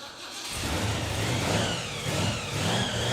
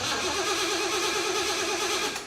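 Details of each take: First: 1975 Jeep CJ-5 with a supercharged Chevy 383 short-block (Weiand 671 blower), after fixing a fuel hose leak: the V8 revs cleanly with a rising and falling blower whistle and settles to a steady idle. Running healthy. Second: 1975 Jeep CJ-5 with Chevy 383 and Weiand 6-71 supercharger, hotwired after sitting over a year: steady fast cranking whirr with no firing, then cuts off; no fuel from the mechanical pump, gas evaporated.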